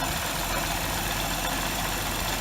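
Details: 2006 Hyundai Tiburon 2.7 V6, 6-speed manual, after replacing hydraulic lash adjusters, timing belt and water pump: steady, even idle with smooth low hum, about 90% of ticking gone; owner thinks remaining sound is injectors and throw-out bearing chatter; normal idle.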